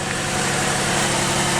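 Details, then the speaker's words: Unidentified V6 car at a salvage auction yard (not the four-cylinder) with check engine, traction control and ECS lights on, idling smoothly and evenly with a steady hum and no ticking, knocking or misfire; normal idle. "you held by the sound of it that's the v6 not the four-cylinder not bad at all sounds good"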